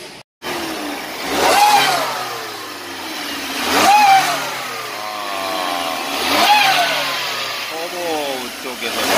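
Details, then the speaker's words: Shrill whine climbing and falling with revs, heard even at a stop, on a vehicle never given an oil change, with code P0014 and no 1st-to-2nd shift; loose turbo shaft with worn bearings. "Rpm goes up, and it makes sound um~~~ with high pitch I don't know exactly."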